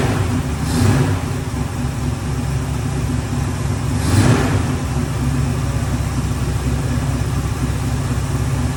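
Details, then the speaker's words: Ford Bronco running after 11+ years sitting, two hours of work, on very old gas: steady low rumble with a couple brief rev swells, smooth, no knocks or misses; normal running. "Garrett here we got it running and uh don't sound too bad"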